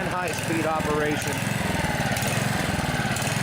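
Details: Honda HR215 HM lawnmower, warmed up, hard to start and running only on choke: the engine's beat swells and sags about once a second at both low and high speed. Fuel-starved surging, traced to a plugged carburettor slow jet.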